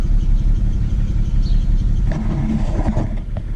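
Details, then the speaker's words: 2008 BMW 335xi coupe, ten years old, idling cold in the morning with a rough, deep, uneven chuffing misfire and injector tick, worse than usual; computer reported misfire on coils 4 and 6, already changed; smooths out when warm. "Oh see I've never gotten this before it's a true misfire today"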